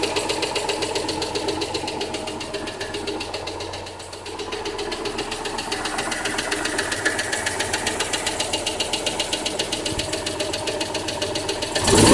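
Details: Citroën Dyane 6 engine at idle: rapid, fairly regular tapping about four knocks per second throughout; engine knocking noise, source undetermined.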